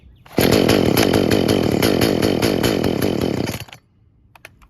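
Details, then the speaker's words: Traded-in chainsaw with new bar and chain, busted primer, started on choke: revs about three seconds with an uneven, rough note that never climbs clean, then cuts out. Choke made no difference. Suspected fuel issue (tune, dirty carb or bad diaphragms). Won't idle or reach full rpm. "So yeah, definitely a fuel related issue, maybe a tune, maybe I need to clean out the carb, maybe the diaphragms are bad, but definitely have to address a fuel related issue on this one. And the choke didn't really seem to make a difference."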